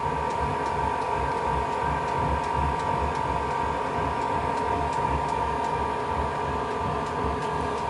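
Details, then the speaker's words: Newly installed diesel space heater at startup: steady fan whirr with faint regular fuel pump ticking about three per second as roughly 2 ml of diesel is pumped in; glow plug ignites the vapor while fan and pump speed up; normal start. "so that sound is those two milliliters of diesel being pumped through the device"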